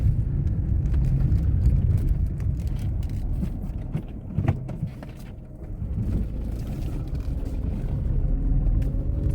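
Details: Tata Tiago driven over rough, potholed road: over low road rumble come scattered, uneven clicks and knocks as the car hits rough patches; loose body rattle, owner blames doors being slammed; cause not confirmed.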